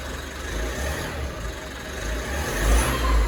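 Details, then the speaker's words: Mitsubishi MQ Triton after replacing one popped boost pipe, revved hard: a thin high whine climbs with boost. Owner suspects a remaining boost leak or a cooked turbo; cause not confirmed. "As you guys can hear, that's the turbo. The turbo is cooked. You can hear the wine coming from here."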